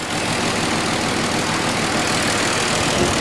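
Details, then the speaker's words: Mercedes-Benz W210 petrol engine warming up, air being sucked in so it can't pick up fuel properly: steady idle with a dense, uneven hiss-and-rumble and no clean rhythm; rough lean idle from an intake air leak. "Әнекей, сәл-пәл ала алмай қалады бензинмен. Бензинмен ала алмағасын, ол воздух жаңағы сорғаннан кейін"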